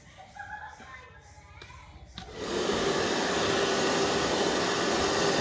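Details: Cheap 800 W hair dryer after its power cord was replaced: after handling noises it starts into a steady, even blowing whir with no rattle or scrape; it runs fine.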